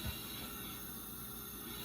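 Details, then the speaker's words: 2006 LTZ400 leak-down test, engine stopped, 100% leak showing: soft steady hiss as air escapes through the carburetor; intake valves not sealing, nothing heard from radiator. "radiator cap off, but I've got it coming through the carburetor, which indicates the intake valves are open or at least not seated very well."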